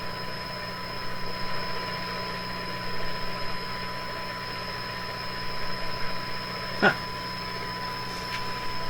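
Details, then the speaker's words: Eveready Model 32 tube radio, repowered with heaters warm, driving a large speaker (roughly 8 ohms) from a signal generator: steady clear test tone over low hum with a brief chirp of interference from shop computer equipment. Normal audio output. "So you're hearing the tone from the signal generator. You're also hearing this funny chickadee sound. That's interference from my shop."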